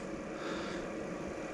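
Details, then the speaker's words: Diesel heater cold startup: glow plug on, drawing most power, fan blowing cold air; soft even whoosh of the blower, no combustion roar yet, just before fuel pump ticking and ignition; normal startup. "where it's using most of its power is when the glow plugs on you can see the little these little arrow arrows going back and forth that means the airs flowing of course the fans on you can hear it cold air coming through"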